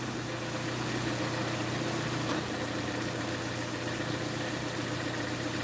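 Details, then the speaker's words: Small four-cylinder at cold start idle: faint loose tick under low hum; suspected cold-start knock, an exhaust leak underneath, and injector tick. "some of it is there is an exhaust leak underneath so you might be hearing that tick from that exhaust"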